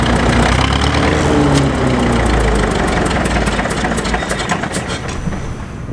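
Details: Caterpillar D4 7U dozer with HT4 Traxcavator loader, rescued from a pasture after many years idle, running after new starter and solenoid: steady chug about three pulses a second, then slowing toward shutdown; normal running.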